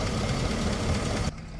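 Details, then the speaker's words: Hummer H2 6.0 LS V8, about 189,000 miles, 14 years of hard off-road use: rough idle with loud top-end tick and dull lower-end knock; oil pump worn, camshaft bearing damaged, lower end bearings possibly damaged; engine being replaced. "as you can hear it's uh definitely not sounding good it's got a loud tick and it's got a bit of a lower engine"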